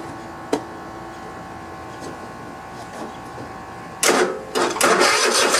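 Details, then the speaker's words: Cub Cadet i1050 zero-turn mower twin engine, left outside for years, fed from an auxiliary tank. The starter cranks for a couple of seconds without firing: crank, no start, carburetor suspected clogged with old gas residue since fuel reaches the pump. "so i went and took the carburetor off i had a feeling it was uh clogged up or something because uh i know there was fuel getting through the fuel pump"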